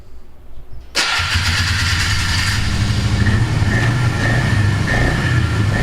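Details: Polaris Magnum 325 single-cylinder ATV after refitting the air cleaner and airbox lid, which changed vacuum enough to stop fuel starvation; engine catches and settles into a steady thump, holding speed without sagging, now running properly instead of lean.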